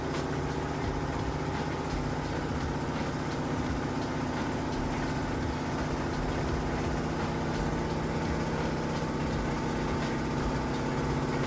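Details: Samsung VRT HE washer on a heavy-duty hot cycle with a heavy load, spinning fast near the 2-minute mark toward peak speed: a steady, even whir and hum with no knocking or scraping. Normal high-speed spin.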